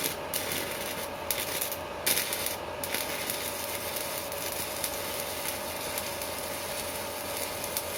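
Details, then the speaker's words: Strat 160KS welding inverter welding with its casing removed: only an even crackling arc sizzle with short gaps and no loud buzzing; quiet without the casing, whereas it hums once the casing is refitted. "молчит без кожуха молчит"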